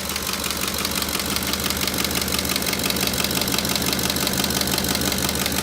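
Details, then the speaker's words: Ford 5.4L 3V engine at idle: sharp, regular tapping from the valve tray, about three a second, from a collapsed lash adjuster/roller follower, often misdiagnosed as a knocking phaser. "Here's another common noise that's often misdiagnosed as a phaser that is knocking, and that is the latch adjuster or roller follower that has collapsed."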